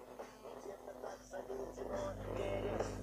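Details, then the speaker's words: Toshiba Satellite A210 laptop's right speaker playing music rough and buzzy, wheezing on louder notes, caused by a torn speaker membrane found on disassembly; to be glued or replaced. "в данном случае ноутбук нас тошиба сателлит a210 ним барахлит правый динамик при прослушивании музыки"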